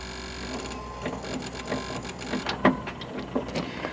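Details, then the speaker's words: Kubota tractor won't start: turning the key gives an odd buzzing clatter of repeated clicks about three a second, also clicking at the starter, engine never fires; battery checked first. "Tractor won't start. But this is what it's doing when I turn it on. That's a weird noise."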